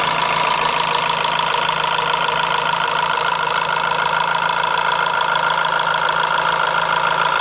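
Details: Renault F4R engine at idle: sharp, regular ticking clatter about three per second over steady idle; top-end noise, cause unclear; abnormal engine noise.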